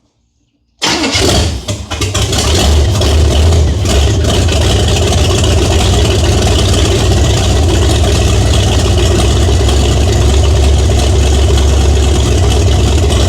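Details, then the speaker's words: 1978 Chevy Nova, car sat for 21 years, start with open exhaust manifolds: fires after a short crank, then a very loud, deep, lumpy idle of about four pulses per second. Owner suspects a non-stock cam. No knock or tick. "Okay, two things. Number one, open headers, really loud, should have known."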